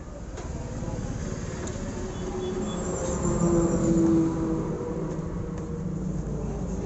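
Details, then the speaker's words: Motorcycle speedometer (kilometer meter) drive turned by rotating the wheel: scratchy rhythmic "khar khar" grinding, about four rasps a second, from a dry speedometer drive; fix is applying grease. "देखिए खर खर खर खर आवाज आता है। तो ये आवाज हम लोग कैसे बंद करेंगे?"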